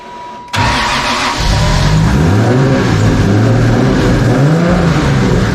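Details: 2JZ engine after warped intake manifold was welded and refitted, with fresh spark plugs: fires straight up and settles into a deep, fairly even idle around 500 rpm, only slightly lumpy; sounds much better, possibly relearning drive-by-wire idle.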